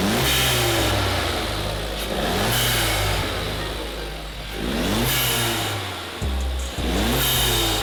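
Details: Salvage Audi A3 S line 1.4 turbo with newly fitted performance air filter: repeated clean revs rising and falling every couple of seconds, smooth pickup, even intake note; engine healthy.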